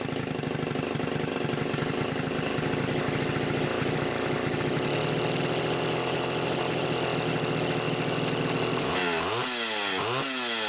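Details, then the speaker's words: Homelite Super XL Automatic chainsaw, reported smelling hot, on ethanol-free TruFuel, almost warmed up: crisp steady high-speed two-stroke buzz, quick clean revs with no lag or bogging; healthy, smell thought to be from the mix. "it's definitely almost almost warmed up I would say you'd have no problem cutting right now"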